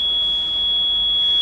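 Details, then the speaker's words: Yamaha four-stroke outboard with 6Y8 (Twin LAN) gauge, kill-switch lanyard pulled and start attempted: steady, unbroken high-pitched alarm squeal; a constant alarm means the lanyard must be refitted (intermittent would mean water or oil). "Hear that squeal? That is an alarm. If you have a Yamaha and an alarm goes off, don't think it's broken. A constant one like that will tell you that, that's better, that you need to put your lanyard back."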